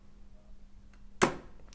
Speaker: so that clunk is actually the contactor pulling in inside there and if we turn it off again we can hear it dropping out